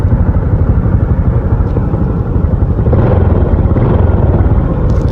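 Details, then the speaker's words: Honda Supra X125 carburetor, 2011, 15 years of use, bored 0.5 oversize: steady low idle putter with even beat, no knocks or rattles; engine still smooth and healthy, normal idle. "seperti ini suara mesinnya setelah 15 tahun pemakaian masih halus. Biarpun sebenarnya Supra X Batman punya Pade ini udah overchase 0,5 ya, tapi suaranya masih halus."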